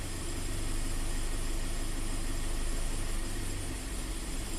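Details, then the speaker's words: Toyota/Scion FR-S / Subaru BRZ with low power, stumble, code P000A bank 1 intake cam slow performance, while commanding intake cam VVT angle: low idle with uneven slowly wavering beat, actual angle oscillating 10–30 versus target 23; rough hunting idle. "It's definitely running rougher. And you can see it's oscillating. And you can hear it oscillating."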